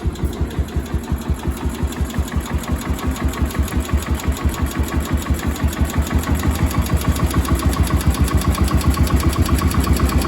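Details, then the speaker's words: Cub Cadet 1250 hydrostatic garden tractor's single-cylinder engine, which sat 20 years under a barn shelter, running after carburetor cleaning and adjustment: deep, even thumping at a steady idle with no knocks or misses and no smoke; healthy idle. "listen to that that is quiet in ain't smoke I ain't seen smoke a drop"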